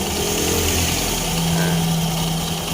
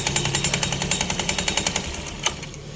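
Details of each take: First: Honda Scoopy eSP scooter CVT, re-tested after removing the Mio J ring pulley, with the klotok knock blamed on a loose pulley bell plus the Mio J pulley: steady, smooth idle drone with no knocking from the belt side; CVT normal. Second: Honda Scoopy eSP scooter: steady knocking of about three to four beats a second from the CVT; most likely a drive belt that is far too slack, roller housing also suspected.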